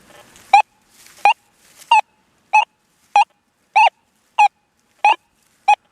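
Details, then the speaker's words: Deus 2 metal detector with 11-inch coil, relic program, over a dime more than 10 inches deep: clean mid-pitched beeps about every 0.6 seconds with each coil sweep. The response is weak on this dime; the dive program hits it better. "Real weak, I think. Of course, now if that was a half a dollar down there, I bet you she'd be a popping. Hear that? Weak."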